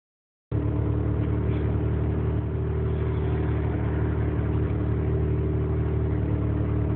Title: 20B rx7 rough idle